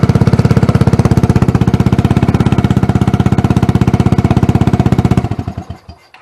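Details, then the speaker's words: Scooter engine swapped into a Tomberlin Punisher buggy, demo run after wiring: fast, even single-cylinder thump held steady about five seconds, then clean shutoff, likened to a GY6 150 on steroids. Normal running. "sounds great sounds real good actually it sounds like a gy6150 on steroids"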